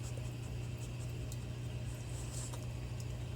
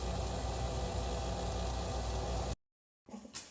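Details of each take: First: Red Dragon Bubble King 2000 skimmer pump after DIY impeller repair with JB Weld, running about 3 hours: quiet steady low hum, no rattle or buzzing from the impeller; earlier rattling gone, normal running. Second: Red Dragon Bubble King 2000 skimmer pump, before repair: steady dense buzzing rattle over the running pump hum; the magnet turns loosely on the impeller when held by hand, causing the rattle.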